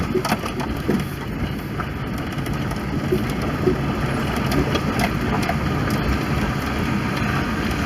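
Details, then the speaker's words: 1993 RHD Subaru Legacy L wagon driving with the window open, with a rough metal-on-metal grind from the rear left brake under wind and road noise; the pads are worn through to nothing. "you can hear them on the back left here grinding yeah there's literally no pad at all"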